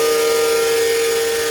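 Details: Hayward 1.5 HP pool pump running with worn motor bearings: loud, steady high whine over a rough hiss, the bad bearing making the pump noisy.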